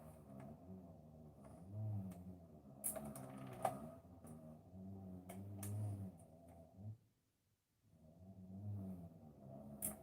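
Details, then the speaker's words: Ferguson record player under repair: a low steady rumbling hum from the idler drive, with occasional light clicks and a brief stop. The noise is judged to be just the idler running. "that noise is just the idler that noise is just the item a little bit on the that's better"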